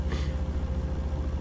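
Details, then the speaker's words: Reach-in cooler no. 2 compressor, started with a hard-start kit after drawing 34 A and tripping overload: deep, steady hum with an even throb at 6.6 A; runs normally, but the unit still struggles to cool. "So compressor is running at this point in time, which is good news."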